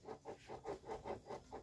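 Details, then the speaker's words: Yamaha F1ZR two-stroke with exhaust removed, crank turned by hand: rough gritty crunching pulses about four times a second, rotation tight instead of smooth; crankshaft main bearings failed, bearing set to be replaced. "Ya tapi ini serut banget seperti laker kotor dan kering juga yang jadi masalah yaitu di motor ini kemerosok ya"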